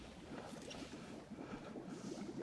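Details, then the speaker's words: Residential old galvanized steel water line under paver sidewalk and driveway, back-pressured with air: soft irregular bubbling and gurgling from the ground as air escapes at the buried leak; later exposed as a spraying pipe. "all right guys we got it bubbling up good we're going to get down there now and actually put our hands on the Fire"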